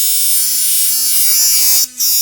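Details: Sonicare DiamondClean that vibrated poorly or not at all, after repair: a strong, steady high buzz with a firm low-mid tone holds its pitch. It vibrates at full power.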